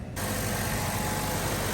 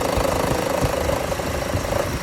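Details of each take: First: 2013 Chevrolet Cruze after replacing the suspected original belt tensioner to cure a loud ticking, AC off: a smooth, even idle with a steady low rumble and no squeal or ticking; normal idle. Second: 2013 Chevrolet Cruze idling with the AC on: a fast, uneven light rattle or vibration over the engine hum; the owner suspects the belt tensioner, which is being replaced.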